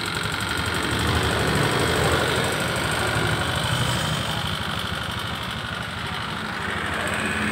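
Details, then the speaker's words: Honda Beat Street fuel-injected scooter, brought in pushed and totally dead with a normal battery and a seized piston: after hard kick-starting and with oil introduced it idles unevenly, slowing, with a fast metallic tick of about three per second. "kemudian mulai memelan-memelan karena apa Karena sudah kemasukan oli suaranya kemlitik sekarang"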